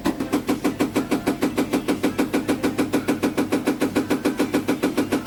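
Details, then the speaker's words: GEDTECH GLL71200WH 7 kg 1400 RPM front-loading washer, under 3 months old, during spin: steady rhythmic thumping just over three knocks a second as the drum strikes the door, leaving a mark; owner calls it a factory defect. "Et le tambour, quand il allume, ça touche à la porte. Il y a une trace ici."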